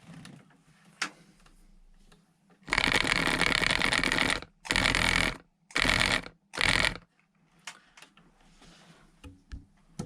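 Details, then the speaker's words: Foot warmer and massager after soldering repair of the massage motor wiring: bursts of harsh buzzing about a second each with pauses; the vibration motor runs strongly again, repaired. "so i don't know if you saw that there you go that's repaired"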